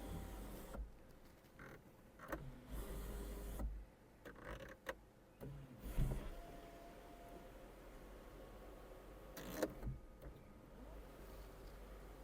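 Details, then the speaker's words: 2007 Volkswagen Golf Plus 1.6 MPI petrol, manual, 212,000 km: sunroof operated through its positions in several short motor runs, each a smooth even hum with no grinding or clicking; works normally. "Люк працює в усіх"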